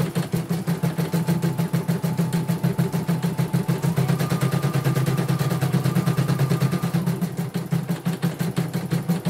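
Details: Portable embroidery machine from Sekayu, South Sumatra, after mainboard replacement, LCD and touchscreen rework, with tension reset to 1. Even rapid ticking about three a second over a steady low hum, no grinding or catching. Running normally, result good, no problems.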